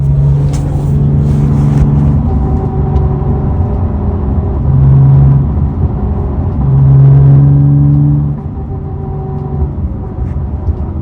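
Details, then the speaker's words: Porsche 993 drivetrain recording: low, steady droning hum that swells and fades with the revs. A shop and others believe it is a failing bearing in the differential; the owner heard the same noise on a 964. Suspected, not confirmed. "This 993 is now starting to make bearing noise that the shop that I've chatted with believes is coming out of the differential."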